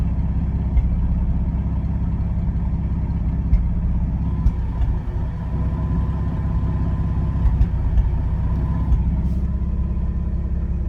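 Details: 1995 Ford F150 4.9L EFI inline-six at warm idle: uneven, loping pulse with occasional stumbles breaking the rhythm; random misfire, cause not yet found.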